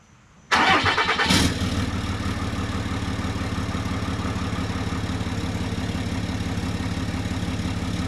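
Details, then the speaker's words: 2013 Ram 2500 6.7L Cummins 24-valve turbo diesel, about 90,000 miles, after replacing a failed-VGT-actuator turbo with a BD Screamer HE300VG. It cranks quickly and settles into an even, healthy diesel idle clatter. "I'll get a quick start up here for you guys so you can hear the 6.7 Cummins run."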